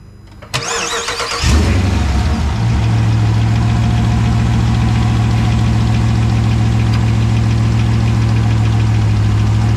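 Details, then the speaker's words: 2020 Dodge Charger Hemi V8 at 38,128 miles, started after an oil and filter change with the oil still about two quarts low, to check for leaks: it catches quickly and settles into a deep, even idle. No leaks, start is normal. "you I don't see any links yet so that's a good sign definitely sounds like a Hemi actually sounds like a hit"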